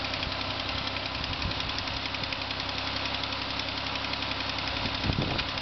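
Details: Steady idle with a fast, uneven tapping, roughly three or four per second, from the engine of a just-bought 2005 Ford Escape; an engine knock of unknown cause, dealer expected to handle it.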